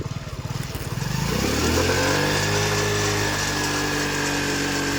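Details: XL100 after fixing fuel overflow (dusty float needle cleaned, carburettor rebuilt, air filter changed): idle picks up smoothly into a steady, even high rev and holds without stumbling; normal running.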